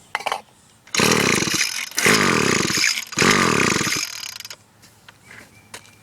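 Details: Echo SRM-210 two-stroke on fresh mix, about 150 compression, spark plug wet, stop leads checked, only ever started with WD-40; three rasping pull-overs, never catches; no-start when cranking.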